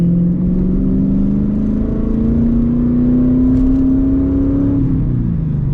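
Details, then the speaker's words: MG ZT 260 with Ford V8 after standing for a long time, condensation in the exhaust: deep, loud V8 drone rising with revs and dropping back, loud and open because the rear silencers (back boxes) are removed. "So in a minute we're going to hear it without, don't you dare fall over camera, we're going to hear it without back boxes."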